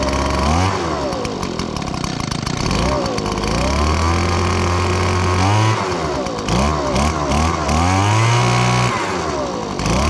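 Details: Echo PB-2155 handheld blower, 21.2cc two-stroke, first start after sitting about 2 years without starting: a small two-stroke buzz revving up and down repeatedly, picking up cleanly and holding steady, which is healthy.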